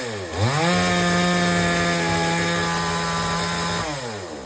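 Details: Chainsaw that would not take load, after H/L screws set fully in, then out three turns. A sharp rev-up, then a high steady pitch held through the cut without bogging, easing off at the end: normal running under cutting load.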